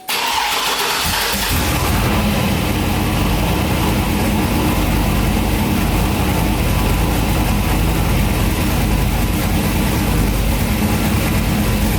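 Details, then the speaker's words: Turbo Cadillac Escalade on its first start after a BTR Stage 3 Turbo Cam install, with the exhaust cutout open: a quick crank, then a loud, lumpy cammed idle, steady with no ticks or knocks and no leaks. "Alright, so everything seems to be working pretty good. Didn't hear any funny noises. Nothing's leaking."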